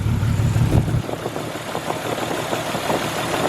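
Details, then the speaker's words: Nissan R33 Skyline with aftermarket cam, spark plugs 1 and 4 swapped to test: idle stumbles with uneven skipping low beat about three times a second; misfire unchanged by the plug swap, coil pack next to test. "all righty well that's not making any difference all righty wow so spark plug isn't liking it"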